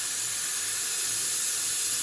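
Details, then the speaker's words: Truck with newly installed 48RE transmission: intake pressurised with shop air to about 20 lb, steady high-pitched hiss of escaping air heard immediately from one intake boot/connection; boost leak. "basically fill this [ __ ] with air there we go then we watch her go up you can hear the leak immediately hear"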